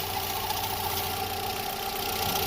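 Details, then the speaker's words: VW with EA111 engine at idle: a steady high-pitched whirr with faint rapid ticking. The owner suspects the water pump bearing below, and notes a water pump leak. "Ah que pena que eu andei analisando aqui parece que ela vem dali ó da bomba d'água lá naquele rolamento ali embaixo"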